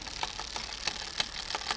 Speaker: can hear that it's still too tight because it's trying to jump up to that second gear second cog even there